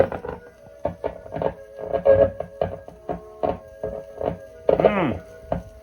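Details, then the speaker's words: 1950s Columbia record player with a crystal cartridge. Faint, thin music with a steady droning hum, caused by fingers touching the back of the cartridge; playback is weak, as expected from an old crystal cartridge. "Now, if I you can hear the hum from my fingers on the back of the cartridge."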